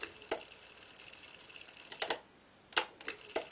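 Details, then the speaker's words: B&O Beocenter 2200 cassette deck, old machine on an old tape: thin, high whirr of tape spooling with a few mechanical clicks as it engages; fast wind works, though play does not engage. "try fast-forward you can hear the Machine you can hear a machine actually oh there we go look ye out what she's actually rewinding"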